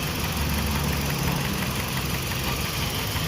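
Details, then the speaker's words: Toyota Vios 1NZ petrol engine idling roughly with an uneven, lumpy low beat. When the faulty ignition coil is unplugged nothing changes, so that cylinder is dead and the coil is definitely bad. "ที่เสียไปแล้วเราจะลองมารับป่ะตัวที่มันไม่เสียนะเพิ่งจะสั่นมากเลยครับมันจะดับแล้วเนี่ยได้ยินเสียงไม่มีเสียงอะไรๆเงียบกริบระเบิดไม่มีไม่มีตังค์ไม่มีแต่ไฟจ่ายไปเลยเงียบเลยเสียตัวนี้เสียแน่นอน100%นะครับ"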